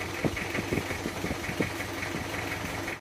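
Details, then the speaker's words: Panther 23 diesel from Malang, before engine removal: idle with an uneven puffing chuff and irregular knocks over the clatter, smoke under the engine. Heavy blow-by; mechanic suspects a scored cylinder liner. "Pipa buangan bawah ini sepertinya ada yang baret linernya. Ces ini. Di kolong mesin sudah mulai kelihatan asap."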